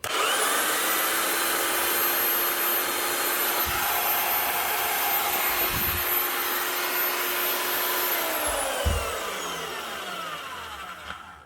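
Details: Marcrist DDM3 three-speed wet/dry diamond core drill after repair of a growling bad bearing with a new bearing, a second-hand housing and fresh oil. A smooth, constant high motor hum, then a clean, even whine coasting to a stop.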